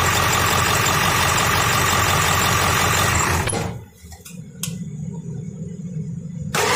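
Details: Ford 7.3L diesel with code P1211, after a new injection pressure regulator was fitted, at idle: a steady rough clatter with a busy knock rhythm. Duty cycle is now lower, pressure around 500; fits an injection control pressure fault, code still returning.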